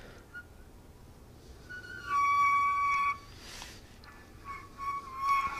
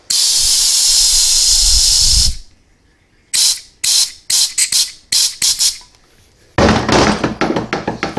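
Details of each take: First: Transmission roller clutch (sprag) turned by hand: light chirping and squeaks; normal roller clutch noise, not a fault. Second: 4T65-E transmission with P1811 maximum adapts and long shift code, valve body on bench: steady hiss then sharp air puffs escaping past the actuator feed limit valve, pointing to a worn valve bore leaking air.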